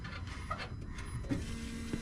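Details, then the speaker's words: 2023 Jeep Gladiator Rubicon EcoDiesel after fuel filter replacement, key cycled to Run: low, steady electric hum sets in and holds evenly; fuel pump priming the new filter normally. "then you want to prime it check for leaks and if it's good no leaks then you put the metal cover back on it's like a skid plate and then you're done you can hear it priming"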